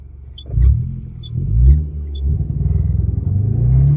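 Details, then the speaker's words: Engine with the aircon on struggles at full throttle, surging and falling back in uneven pulses about once a second. It only revs with repeated throttle pumping; a bad fuel pump is suspected. "Parang hirap na hirap e. Oh, naka-full gas ako niyan. Naka-full gas. Ayan oh. Gumagana naman siya kapagka sunod-sunod yung tapak sa gas."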